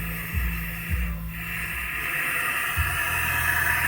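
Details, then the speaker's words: Cooling system under air-pressure test after aluminum thermostat issue: steady airy hiss over a few low thumps as pressure holds, from air escaping a visibly leaking radiator. "You can see the radiator leaking, but how the hell that happened?"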